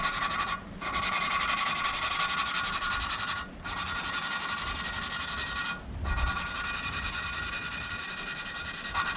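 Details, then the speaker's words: 2013 Volvo S60 T5 2.5T cylinder head, new exhaust valve 3A being hand-lapped on a first pass: a harsh gritty rasp in long strokes with pauses. The compound is still grinding; the valve and seat are not yet mated. "stick this on now you'll hear it you'll hear it you'll hear it change you'll kind of feel it too sound is terrible"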